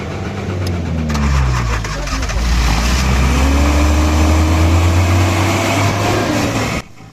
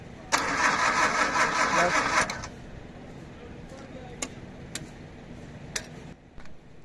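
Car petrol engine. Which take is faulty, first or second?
second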